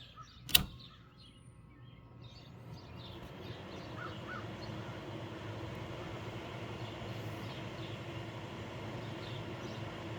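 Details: 1998 Whirlpool 10,000 BTU window air conditioner, freshly cleaned coil, switched to low fan for an amp-draw test: a switch click, then a soft, even hum with no rattle or scraping as the fan runs smoothly on low.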